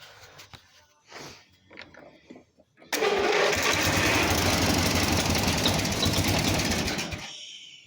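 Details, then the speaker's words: Simplicity 4212 lawn tractor during restoration, after refilling oil, fitting battery and checking gas: a few clanks, then engine catches at once and runs evenly about four seconds before shutting down; clean first start, owner suspects some carb issue. "You saw the first start. It sounds good, actually."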